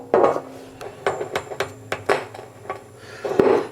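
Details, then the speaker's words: 1977 Ampeg VT-22 (V-4) Version 2 tube amp, input dialed up to about 80 volts; tapping chassis gives scratchy crackle bursts, badly microphonic. Suspected bad tube or bad capacitor/short, not confirmed. "well we've dialed it up to about 80 volts or so on the input and we're still getting some crackling and so forth still seems really really microphonic maybe I've got another bad tube"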